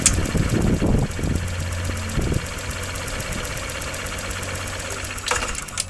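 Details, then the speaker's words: 2013 Honda SH150i scooter, after repairing an engine knock with a timing-related problem and a broken spark plug, front brake held: starter churns and the engine stumbles before catching, then a rough, uneven idle. Hard start likely from cleaning fluid flooding the intake manifold. "Наверное, скорее всего, я залил впускной коллектор очищающей жидкостью. Ну и, наверное, вот так он сразу не завелся."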